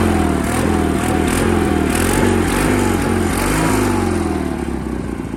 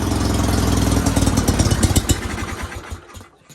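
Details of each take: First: Sears GT 19.9 garden tractor, big-block engine with larger mufflers, first start after sitting about 2 years; steady throaty beat rising and falling slightly on throttle, even and unbroken, normal running that sounds torquey. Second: Sears GT 19.9 garden tractor, first start after sitting about 2 years: runs loud and lumpy, then stumbles and dies within seconds after starting; fuel starvation suspected.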